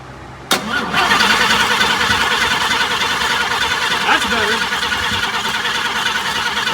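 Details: 1954 Chevrolet on a first run to fill the transmission and burp the cooling system: the starter whirs steadily, about three turns a second, but the engine doesn't catch. It cranks without starting, and fuel delivery is suspected.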